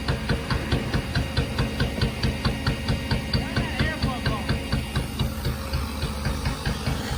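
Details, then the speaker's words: Newly bought four-cylinder race car at idle: lumpy, uneven running with sharp pops about twice a second, sounding like a tractor; skipping and backfiring misfire, cause unknown. "Something's wrong with it. It's not supposed to sound like that. It's skipping, backfiring."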